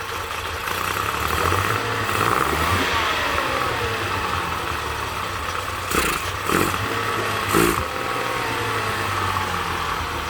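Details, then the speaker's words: Honda 30 outboard, reassembled after lower unit and driveshaft work, no knocks: runs unevenly with surging, lumpy pulses and sputters, trying to stall on sharp rpm increase; previously cleaned carburetors apparently clogged again from standing. "The motor was assembled, there are no knocks. But for some reason, it is working very badly ..."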